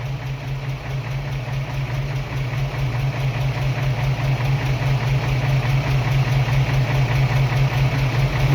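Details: 1978 Toyota FJ40, first start after a spun bearing: low, steady idle with an even pulse a little over two per second, gradually getting louder; no sharp knock stands out.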